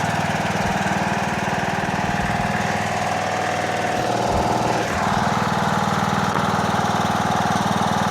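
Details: Toro Wheel Horse 1638HXL hydrostatic lawn tractor after finished repair, driving out: even engine beat about two per second over smooth hydrostatic drive whine, no knocks or slips; normal healthy running.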